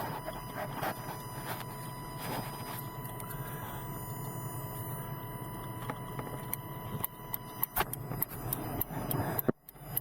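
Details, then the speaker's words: 1997 Silverado K2500 with LED turn signals, after replacing flasher relay with Standard Motor Products EFL-6: crisp steady clicks at normal pace over faint idle, hyper-flash fixed, still slightly fast. "from the clicking that sounds like it's already solved the issue there you go problem solved"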